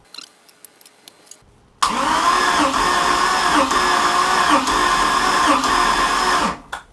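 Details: Compression test on a Mercruiser Chevy-block boat engine, fogging oil sprayed in, gauge on cylinder one reading about 152: starter whirs with even, regular compression pulses, none weaker; healthy cranking compression.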